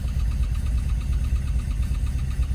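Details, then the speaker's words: 1984 VW Vanagon started after installing an oil pressure gauge and a Mann W917 oil filter, gauge first reading zero: valve noise clears, leaving a low, even idle rumble with a soft steady pulse. The engine is idling normally. "got some valves collecting oh that sounds better"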